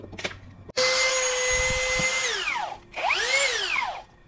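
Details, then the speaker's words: Low-budget brushless drill after shimming only the lower side of the stator: whirs up and winds down twice with rough raspy scraping over the whine; rotor still rubbing the stator, repair not yet successful. "masih ternyata belum berhasil jadi ini saya cabut lagi semuanya"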